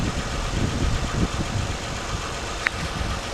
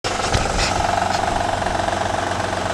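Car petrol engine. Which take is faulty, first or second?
second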